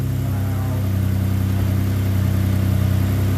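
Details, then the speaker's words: 2011 Ford Explorer, first start after a new powertrain install, oil flowing and no dash warning lights: smooth, steady low hum with an even pulse, no ticks, knocks or squeals; idling cleanly. "Ready, whenever you are, fuse is in. Oil is flowing. Purring like a kitten."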